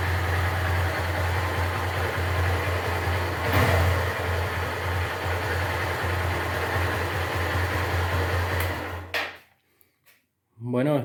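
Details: Honda Titan 150 after replacing the worn gearbox bearing: steady single-cylinder idle with an even, smooth beat, no knocking or whine, before the engine is switched off.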